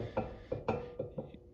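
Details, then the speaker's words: Dana 70HD dually rear axle hub rebuild for oversized tires: short dull metal clunks, about six in two seconds, as the drum is rocked; studs not pressed in enough to lock drum to hub (friction only), slight play judged good enough. "Actually, you can hear hear it there. just a little bit of play in it, but it'll be good enough for what I need to do."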